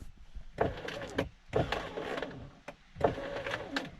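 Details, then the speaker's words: 2003 Jeep Grand Cherokee passenger power window, key on, switch pressed to raise the glass: motor whirs in short bursts, then strains and binds while the window doesn't move; regulator cable jumped its track and wound around the motor. "if we try to cycle the motor the window up you can hear the motor running"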